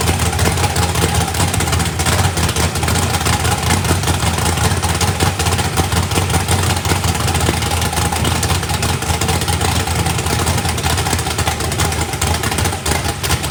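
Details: First fire-up of a freshly built 409ci small-block Chevy race engine, turbo not yet fitted, battery nearly dead, warming up: deep, loud, even V8 idle with clean throttle blips, no knocks or rattles. Runs well with good oil pressure (oil pressure spring shimmed). Normal.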